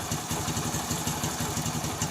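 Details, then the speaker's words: TVS XL 100 first-model moped, single-cylinder: even idle about five or six beats a second, no stumbling or clatter; head gasket puffing gone, starting problem fully fixed. "তো এখন দেখো tuning খুব সুন্দর আছে, গাড়ির সাউন্ডও ঠিক আছে, যেটা হেডগেট সিটে ফ্যাট করছিল সেটাও বন্ধ হয়ে গেছে এবং স্টার্টিং কোনো ট্রাভেল নাই, এর কি স্টার্ট হচ্ছে।"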